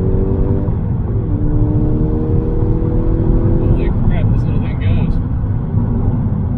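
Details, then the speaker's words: 2011 VW GTI (MK6), 136,000 miles, with turbo underboost, low oil pressure and misfire codes, on test drive: steady engine drone climbs smoothly through gears, no knocks, rattles or whistles. Healthy under load, moves well. "no dodge viper but uh it definitely moves for a little car it's kind of fun man"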